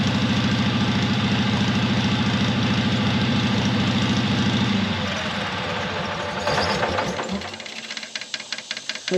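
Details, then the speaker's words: 1970s Onan RV generator, muffler off: loud, steady, even firing about three and a half beats per second with no misses, then winds down. Normal running after transmission fluid apparently freed a sticking valve, both cylinders working. "yeah as y'all seen when I poured that uh transmission fluid in there it went to running good so like that other valve got unstuck so that is great that both cylinders are working"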